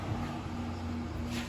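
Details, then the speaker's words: Pit Boss FB700 pellet grill found curbside, auger motor switched on: quiet steady electric hum with no turning rhythm, auger starts wanting to turn but doesn't; owner suspects auger stuck, unsure if motor or auger is at fault. "you turn this on and you can see it kind of start wanting to turn but it doesn't so i'm thinking it's just stuck"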